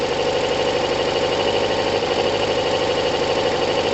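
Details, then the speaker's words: Kawasaki ZL600 four-cylinder motorcycle with new coils, tuned carbs, valves done and firing order corrected; still cold, coolant not connected, even quick pulses with no knocks, misses or valve tapping, owner judges timing right: normal cold idle. "valves sound great no tapping timing must be right"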